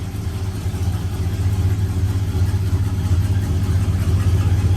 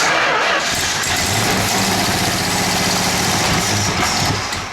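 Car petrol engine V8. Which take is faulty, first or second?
second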